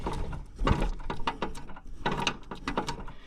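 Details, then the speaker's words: 1961 International Cub Cadet Original (7 hp Kohler), steering wheel worked: irregular dry clunks and ratcheting from the loose steering shaft; the owner thinks a weld is broken. "Oh, yeah. It's loose. I think that weld is broke or something."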